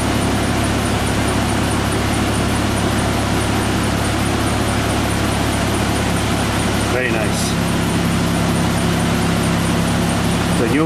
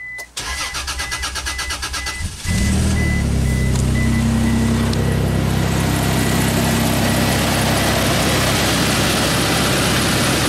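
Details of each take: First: Isuzu Rodeo after replacing the fuel pump, which drew about 7 amps running. The engine catches quickly and settles into a steady, even idle with no stumbling or misfire; fuel delivery is healthy. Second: Isuzu Rodeo that keeps blowing its fuel pump fuse, with a long crank the owner has noticed for about six months. Starter churns rapidly, about four turns a second, for over two seconds before the engine catches; long crank before start.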